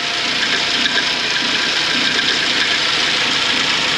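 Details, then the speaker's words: 2006 Suzuki Grand Vitara, 2.0 petrol automatic, 230,000 km, idling: steady hissing scrape from a slack timing chain with broken rollers; it persists with the accessory belt removed, and the chain had been replaced before. "Suzuki Vitara 2006 rok 230000 przebiegu silnik To dwulitrowa benzyna automat i Podczas pracy silnika jest taki dziwny odgłos takie szuranie"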